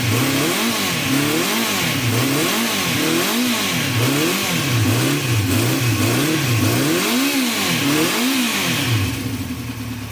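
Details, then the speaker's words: 1974 Honda CB350 Four on full choke, with the pilot screws at 1.5 turns out. The engine surges up and down in slow, uneven waves and won't run or rev off choke. Blocked pilot jets on some or all carbs are suspected. "So it's not running at all without choke on. And you can only rev it up when it's on choke, so pretty sure the carbs are blocked. Pilot jets are probably blocked on a couple of carbs, maybe all of them."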